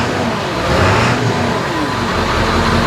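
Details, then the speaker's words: 2000 Ford F-350 7.3 Powerstroke diesel, after priming the fuel system: deep rumble revving smoothly and settling back evenly; earlier rough running was from no fuel, now normal revving. "this old truck sounds good that's why I was running so rough there was no fuel"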